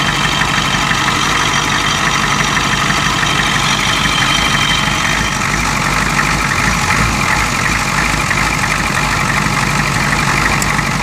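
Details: 1992 Ford 7.3 IDI diesel at idle: loud, uneven idle with an irregular knock about three per second and a stumbling beat; random misfire with blowby that comes and goes. Teardown found second piston rings broken on two pistons and one bad valve guide.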